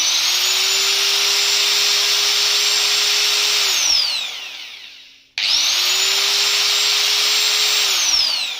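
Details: Angle grinder after regreasing its gearbox, run at no load: a high, clean whine that climbs and holds, winds down and restarts evenly as the grease spreads; it runs smooth and free.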